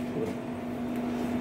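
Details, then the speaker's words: Buchi Rotavapor R-300 rotary evaporator with V-300 vacuum pump: set vacuum 281, volume increased so pressure released and pump restarts to re-form vacuum; steady mid-pitched even motor hum, normal operation. "फिर से वो vacuum form start हुआ आपने देखा ना sound हुआ"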